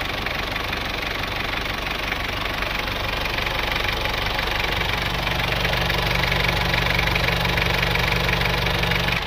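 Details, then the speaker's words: Isuzu Panther 2.3 diesel after repair of incomplete combustion: steady, even idle with a light, regular clatter at about four beats a second and no misses; running healthy. "Ini suara mesinnya seperti ini. Ada raungan macan. Kalau kerataannya sudah bagus."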